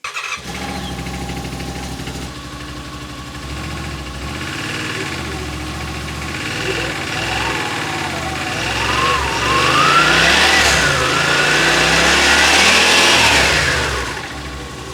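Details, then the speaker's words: 2021 Yamaha Wolverine RMAX XTR 1000 4-seater, started with clutch cover off after CVT clutch work, revving up and down: clutch whine rises and falls cleanly with no slipping or grabbing; seems to be working fine. "seems to be working fine"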